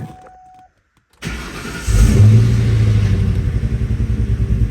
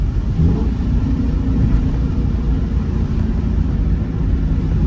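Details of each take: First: 2003 Ford Mustang GT V8 before installing new MSD coils: the engine starts into a lumpy, uneven, stumbling idle, a bad misfire attributed to the old coils. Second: 2003 Ford Mustang GT under acceleration after new MSD coils and spark plugs cured a bad misfire: deep, smooth rumble pulls through the rev range without stutter or misfire over road noise; healthy.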